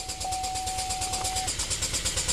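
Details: 2012 Chevy Equinox direct-injected engine, crank no-start after an aftermarket alarm install and removal, code P0615: steady fast cranking that never stops on its own, no firing, thin electronic tone; fuel rail 2,100 psi, 14 V; engine control module failure.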